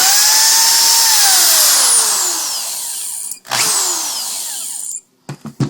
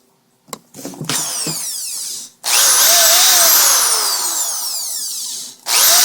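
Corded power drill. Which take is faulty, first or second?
first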